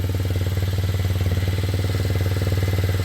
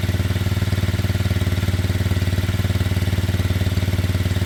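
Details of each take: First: Kymco Zing 125 single-cylinder scooter after running issues were sorted, before a pre-MOT test run: steady, smooth, clean idle around 160 beats a minute, possibly a touch high; to be readjusted. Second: Kymco Zing 125 scooter with running issues sorted, idling steadily and evenly before a test ride, with no knocks, misses or hunting. The idle is perhaps slightly high and will be readjusted. This is a normal, healthy idle.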